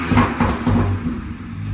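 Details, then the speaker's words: BMW E90 with N54 twin-turbo engine, about 130k miles, turbos aging, after replacing turbo vacuum lines; the fault was a seized wastegate actuator. Quick throttle blips, revs rising and falling cleanly with a crisp exhaust; pulls freely and sounds healthy. "No, no, that's actually very healthy, bro. Yeah, that's how it's supposed to sound like, bro."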